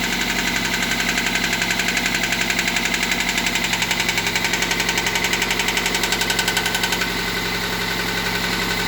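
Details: Toyota MR2 Mk3 petrol engine at idle with a steady, sharp knock about twice a second that fades near the end.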